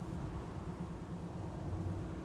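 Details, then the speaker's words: 1973 Chevy Nova 350 SS hatchback test drive over bumps after repair: steady low road and engine rumble, no clanks from the rear; quiet rear suspension. "yeah still not hearing any clanks I think we might have nailed St"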